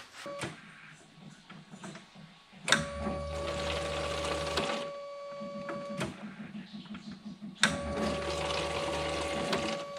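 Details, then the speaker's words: The non-starting KITT car during a fuel delivery test, with the line fed into a 5-liter can. A steady whine for about two seconds at each key-on, then it stops. The pump primes. Normal fuel pump priming. "először azt lessük meg hogy gyújtás rátételkor amikor az ümmögés van akkor mit csinál"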